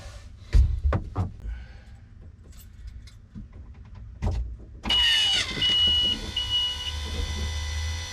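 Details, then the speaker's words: Volvo Penta 4.3L V6 200-A sterndrive after replacing the fuel filter/water separator: with the key on, a few clunks, then a steady high electric whine with a low hum as the fuel pump primes and fills the canister; normal. "All right, I can hear the I can hear that fuel pump running. Seems like it's putting more fuel into that canister."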